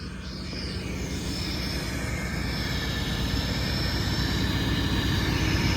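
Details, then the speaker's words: Mack MP8 diesel truck at first start after all injector cups and injectors were replaced: a deep, even idle with a steady throaty exhaust note that slowly swells, with no misses or knocks. It sounds healthy. "D that sounds awesome this thing sounds really good actually right listen to that"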